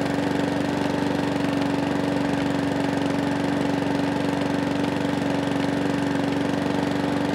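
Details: Mountfield 414 lawnmower with RS100 OHV engine, low on fuel, running with the drive tested: a steady, even mid-pitched drone with no hunting or surging; the engine runs healthy.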